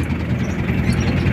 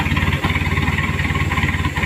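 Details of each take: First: Chevrolet K5 Blazer fitted with a Mitsubishi 4D56T turbodiesel, after re-setting to fix low power, misfire and limp running; started cold, oil-pressure sound present; steady, even idle with smooth low rumble, no stumble and no white smoke, engine healthy. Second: Chevrolet K5 Blazer with Mitsubishi 4D56T turbo diesel, poorly set up after a previous engine swap, low power, before repair: uneven, stumbling idle with dropouts and white smoke; misfire/limping.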